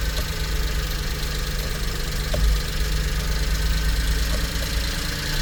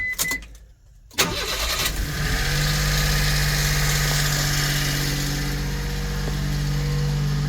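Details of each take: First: 1999 Mitsubishi MiniCab 4x4 (U62T) with a 5-speed manual and 13,050 miles, cold idle with no smoke: a faint, quick light ticking over a steady idle from one valve. It disappears when warm; the owner plans a valve adjustment. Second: 1999 Mitsubishi Minicab 4x4, 13,050 miles, recent timing belt, water pump, seals and oil change, cold start: brief starter whirr, then a steady, even idle with no smoke. One faint valve tick that fades when warm; valves need adjusting.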